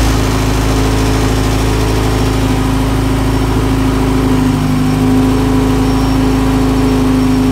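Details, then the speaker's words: Integra engine swapped into an EG hatch project, first proper start after reconnecting hoses; owner had feared knocking or a spun bearing: loud, steady idle with a smooth, even pulse and no knock or tick; runs healthy, though coolant and oil leak. "so but I know now it runs good it runs healthy"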